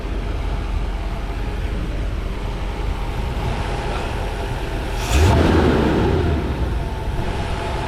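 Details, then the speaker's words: 1991 Mercedes 500SL, 39,000 miles, warm idle at about 85 on the temperature gauge after a 45-minute drive, following lubrication for a recurring high idle despite two new idle control valves: low, steady rumble, one brief blip settling straight back; normal idle. "But I got it about the 85 mark. It sounds pretty good."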